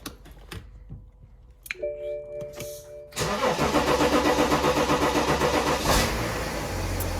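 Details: 2009 BMW X5 35d E70, M57 3.0 L twin-turbo diesel, after highway breakdown, parts replaced and fuel system bled: starter cranks briefly, engine catches first try and settles into steady even idle clatter; fixed.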